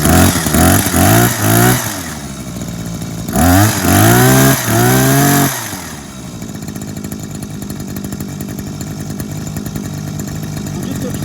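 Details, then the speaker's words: 2004 Ryobi two-stroke hedge trimmer after carburettor clean, new diaphragm, gasket and fuel hoses, engine service and greased blade gearbox; cold start, revs up in sharp bursts then settles to an even steady idle, running cleanly after repair. "and that should run much quieter now"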